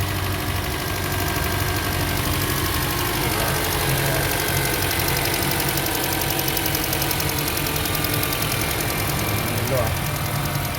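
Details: 2008 Honda CR-V petrol engine after repair of a shaking, stumbling misfire (cylinder 2 injector not spraying): iridium spark plugs fitted, now idling steadily and evenly with no stumble or shaking, A/C on test.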